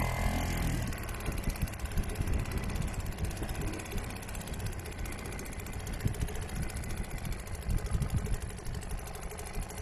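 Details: Restored old Seagull 40 Plus outboard running in the sea at the beach, pumping lots of water at raised revs (stops pumping at low revs): fast, steady two-stroke popping, no misses or dropouts; normal running.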